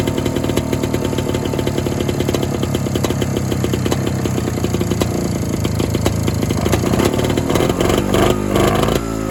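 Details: Evinrude Bobcat 25hp snowmobile after sitting 20+ years, recoil-started: two-stroke clatters unevenly at fast idle, misfiring and hunting; carburetor suspected and likely needing a kit, unconfirmed.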